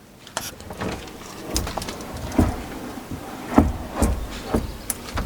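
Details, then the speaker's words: Opel Astra H door after fitting a new GM door check strap: only a few soft clicks and light thuds as the door swings and latches, with no crunching or creak; the old strap creaked harshly, and the new one works perfectly. "Вау наскільки тихо Він працює Ну от послухайте пам'ятаєте в кінці він прям хрякав неприємно слухайте просто ідеально"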